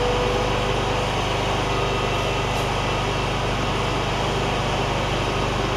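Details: John Deere ZTrak Z915E, Kohler V-twin, sat 2 years; idling. Steady, even idle with oak leaf debris ticking on the cooling fan; normal idle.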